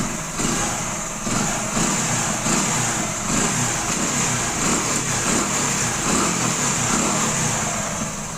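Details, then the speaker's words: 2008 Hero Honda Splendor carburetor four-stroke, crankshaft/connecting rod sound check after servicing: steady, even idle with smooth hum, no knocking or tapping; bottom end healthy, normal idle. "பாத்தீங்களா எவ்வளவு அருமையா இருக்கு பாருங்க வண்டி"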